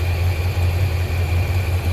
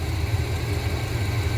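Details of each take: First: 1987 squarebody Suburban with swapped 454 big-block V8 (SM465/205), new exhaust, engine hot, after reseating a loose plug wire on cheap wires: even, steady low rumble at idle, no skips or stumbles. Normal idle. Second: 1987 Chevrolet Suburban 454 big block with new exhaust, warmed up, during tuning: deep, rumbling idle around 700 rpm with a slightly uneven lope, timing at 14; not as steady as wanted.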